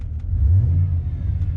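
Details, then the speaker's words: Heard from inside the cab after exhaust work, with pipes tied together by a newly welded piece, 3.5-inch pipe and Magnaflow mufflers: soft low steady rumble, no rattle or blatting; still slight drone around 1500–1800 rpm; quiet exhaust. "so with them tied together now with that new piece that I made and just kind of make weld it in there quick and the three and a half inch pipe it's super quiet we're sitting in the cab now and it's running"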